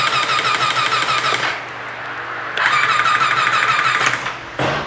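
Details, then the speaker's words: Triumph Tiger 800XC cranking with spark plugs out: quick free-spinning starter bursts, no firing, light clicking from the unpressurised hydraulic timing chain tensioner; starter works. "Now the clicking is going to be because that's a timing chain tensioner, because that is a hydraulic one."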